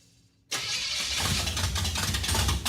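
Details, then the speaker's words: Junkyard 1957 Chevy Bel Air with a newly installed small-block V8 and Turbo 350, no driveshaft fitted, first start: brief crank then the V8 catches at once into a loud, steady, even idle with oil pressure; healthy start. "alive and we have oil pressure give me some Tom don't uh run it too long cuz there's no drive shaft that sounds Rowdy dude"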